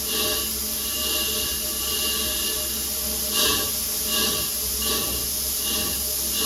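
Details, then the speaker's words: Chambersburg air power hammer, idle since 1987, run uninstalled on an inadequate air supply; rhythmic air hiss pulsing a little over once a second under a constant hiss, cycling for the first time since 1987. Normal cycling. "but we did get it running it hasn't cycled like this since 1987."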